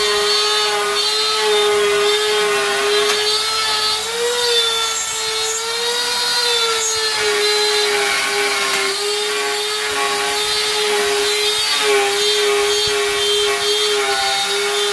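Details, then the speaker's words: Grizzly T27139 quarter-inch laminate trim router with plunge base, about 4 months old, cutting a circle: steady high whine, then pitch slides down as the motor dies on its own, cutting out three times in under one turn and restarting itself; cause unclear. "notice it just starts by itself now i'm starting to wonder what's going on i haven't even made a whole turn and this inched off three times on me"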